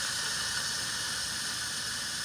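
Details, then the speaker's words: 1958 GM PD4104 bus air tank drain blowdown: a strong, steady high-pitched hiss with moisture and oil spitting out, sounding less wet than before; there is moisture in the air tank. "Doesn't sound quite as wet. Smells bad though."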